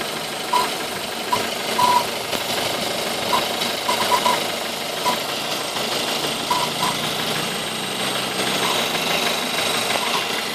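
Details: Ford Focus 2.0 (new generation) at idle: irregular sharp chirps in small clusters not following firing rhythm, noise attributed to the AC belt; chirping noise at idle.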